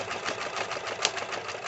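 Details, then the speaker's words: White 1899 jeans sewing machine sewing thick material: quick, even stitching clatter at steady rate with no loud low motor hum underneath, running smoothly. "listen to this it's like butter and you didn't hear that large hum noise like you do with some mechanical machines"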